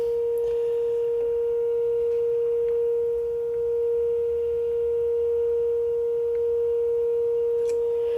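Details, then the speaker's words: 1955 GE C-600A tube clock radio after cleanup and cap replacement, signal generator at 455 kc fed in for alignment: test tone comes through clean, steady and strong over faint hiss; single IF can peaked and properly aligned. "That sounds about right. Only one IF can in this thing, so not much to adjust here."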